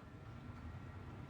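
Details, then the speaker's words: Newly installed ventilation fan in a converted garage room, heard at the outlet: a steady low rumble of moving air with no rattles, ticks or wobble; it runs smoothly, moving plenty of air. "let's go check out that outlet you guys can hear the air it's getting a ton of air out of it"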